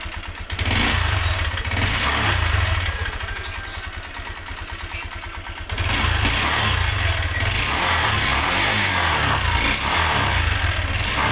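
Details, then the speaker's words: Motorcycle engine rising from idle to a rev, with a quick light ticking three or four times a second from inside the engine; owner doesn't know the cause and asks what could be broken. "Ayun na mga kaburnek, may lumalagitik sa loob niya mga kaburnek."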